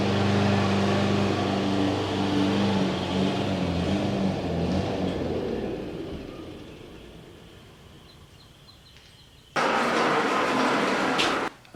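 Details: Exmark EC21KA mower with a Kawasaki FJ180 in a backyard: steady drone sags and fades over several seconds, then returns abruptly, dying down over bumps; owner suspects a sticking carburetor float or a compromised fuel system; engine stalling.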